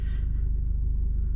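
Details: MK5 VW Golf or V35 Skyline, hot from a drive, after camshaft position sensor replacement and clearing a gummed-up fault: short, steady low idle, even pulse, no knocks or misses; charging reads 13.2 V running, 11.8 V sitting (battery/alternator suspected).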